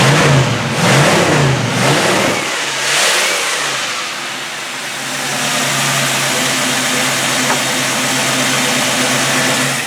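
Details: Big old rusty Dodge derby car, rewired with a new one-wire GM-style distributor, on a hot day of about 92°F: a few quick throttle blips, then the engine settles into a steady, even idle with no misfire or stumble.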